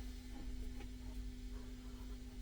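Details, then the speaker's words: Restored 1970s Selmer Treble & Bass 50SV guitar amp with the other channel turned up flat out: steady low transformer hum with a faint higher tone under light hiss. Mild hum, possibly from the preamp valve stage; not confirmed. "But so you know, this you do get a bit of hum on the transformers now and again. I've seen amps much younger than this with hums."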